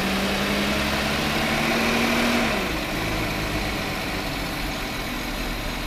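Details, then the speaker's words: 2009 VW Touareg 3.6L, lean both banks, P0507: idle climbs for a couple of seconds then sags, hunting up and down as fuel trims cycle; internal leak in the valve cover's PCV, so the car needs a new valve cover. "this vacuum weed right here it's just a symptom the real leak which is internal in this valve cover this car needs a valve cover"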